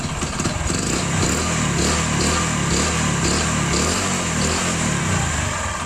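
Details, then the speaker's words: Old Hero Honda Splendor four-stroke single, no exhaust smoke: uneven knocking from the bottom end over the exhaust note, from the crankshaft connecting rod; seized/worn connecting rod big end. "ஆனா வந்து பாத்தீங்கன்னா இன்ஜின்ல வந்து உங்களுக்கு sound இருக்கு அதாவது எங்க இருந்து sound வருதுன்னா கிராங்க் ஷாப்ட்ல இருந்து மெயின் கிரான் ஷாப்ல இருந்து நம்மளுக்கு மெயின் கிரான் ஷாப்ல இருந்து கனெக்டிங் ராட்ல இருந்து சவுண்ட் வருது"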